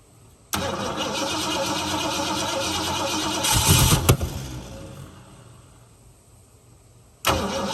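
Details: 1969 Mustang 302 V8 that sat 15 years, firing order uncertain, stuck valve doubted: starter turns engine over in an even chug, about four beats a second, but it never catches; cranks but no start.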